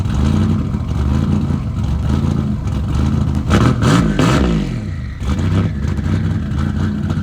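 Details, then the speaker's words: Engine after installing RJC V-band exhaust gaskets to fix exhaust leaks: strong deep exhaust climbing and falling cleanly through quick revs, no puffing or ticking; engine sounds healthy. "we like that sound see we like that sound when things are working well and fixed we we got the exhaust leaks going"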